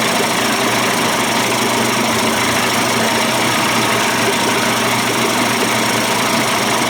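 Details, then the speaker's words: Johnson Evinrude outboard converted from 25 to 35 hp, after changing the bypass cover, adjusting the cam and syncing low-speed timing: a smooth, even buzzing idle with no misses or surging. Better than before. "sounds sweet sounds better than it did before I changed the uh the bypass cover and adjusted the cam"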